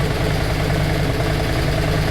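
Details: Yamaha Virago 535 V-twin at idle, set by voltmeter to keep charging above 12.5V with headlight on: steady, even low thump with no misses or knocks; healthy, correctly set idle.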